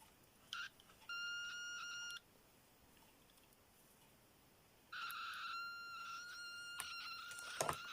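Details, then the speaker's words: Continuity tester on a breadboard through two cleaned eBay DuPont jumper cables known good: tone sounds about a second, drops out nearly three, returns stuttering; board sockets still making intermittent contact. "I don't know whether you can hear that. It's still intermittent."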